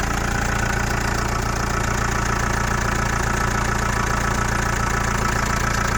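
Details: Chrysler Voyager 2.8 CRD four-cylinder diesel, cold start after a couple of months unused: steady, even knock about three and a half times a second over a rough idle; cause unknown.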